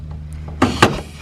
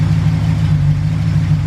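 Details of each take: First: Ford Galaxie with fuel problems first blamed on the fuel pump, vapor lock or a clogged filter: two short sharp hisses of air rushing in as the gas cap comes off; the tank was under vacuum because the cap's vent is blocked. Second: Ford Galaxie with suspected heat-related fuel issue (fuel line very close to heat), restarted after cooling off: steady low rumble with a brief dip and a little clatter, otherwise even; fuel pressure restored though not high.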